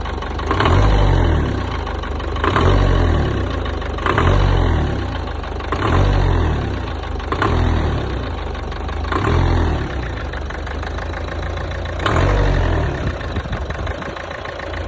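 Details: 1.5 dCi 110 diesel blipped about every two seconds: a sharp clack rides each rise in revs and fades back at idle — clacking noise on acceleration, source not pinned down.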